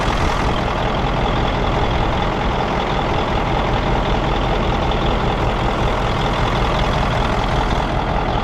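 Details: Mack CL713 with E9 V8 500 hp diesel, recently purchased: steady, even low rumble with no knocks or misses at idle; runs smoothly, tachometer reads inaccurately.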